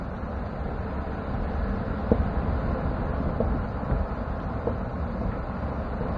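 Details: 2016 Chevrolet pickup driven on the owner's street with the camera under the truck: dull clunks about every 1.25 seconds under road rumble, from the rear end, likely the rear locker. The dealer says GM calls it normal; shocks were already replaced.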